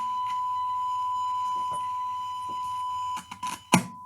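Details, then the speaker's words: Siera 5521 / Philips 22RH521 vintage amplifier after left-channel output transistor and power supply repair: steady test tone broken by scratchy crackles and pops; suspected dirty volume, balance or switch controls or remaining left-channel fault, not confirmed. "It's this control, I guess. Yeah, it's all so scratchy. I really need to clean these controls here."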